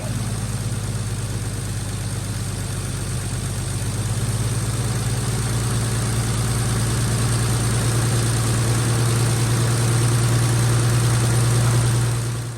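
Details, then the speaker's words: 1946 Chevy boom truck inline six, just revived after 35 years sitting with water in the engine and locked up: smooth, even low idle hum, steady firing beat around three and a half per second; healthy idle. "You just can't kill one of these old inline sixes. It don't matter what brand it is or anything. As soon as you get the motor unlocked, they fire up and run."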